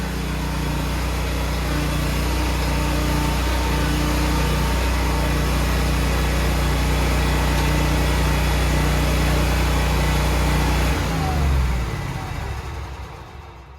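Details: Toro Z Master zero-turn mower after its faulty ignition switch was replaced. The engine starts and holds a smooth, even idle with a steady low drone for about eleven seconds, then winds down cleanly at shutoff; it runs healthy.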